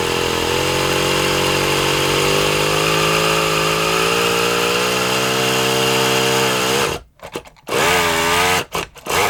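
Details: Kyosho Mini Inferno small nitro engine with a single-needle carb, glow heater on: a high buzzy note climbs slowly, then stumbles, cuts out twice and barely catches. The owner thinks it sounds rich and tries it leaner; his suspicion, not confirmed.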